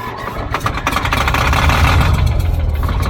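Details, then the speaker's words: Old Caterpillar D6 dozer diesel on fresh batteries: slow, even cranking churn, about 220 beats a minute, never catching; not getting fuel because the fuel shutoff was closed. "well all right I am not getting fuel am I I run it long enough that it should have picked up fuel"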